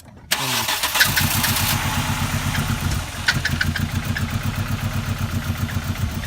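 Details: VW Passat with a suspected intake vacuum leak, possibly misfiring: it catches after a short crank and settles into a lumpy, unevenly pulsing idle; a vacuum part is being sought.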